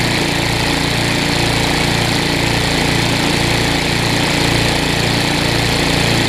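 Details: Newer Tecumseh vertical-shaft engine on a 20-inch weed trimmer after aftermarket carburetor replacement: steady even note with regular beat, no surging or stumbling, with the trimmer portion engaged; normal running under load.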